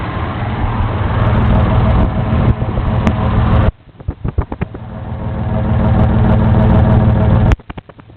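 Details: Isuzu 6VD1 engine with a lumpy idle, uneven pulses and sudden dips, stumbling instead of holding a smooth beat: rough idle.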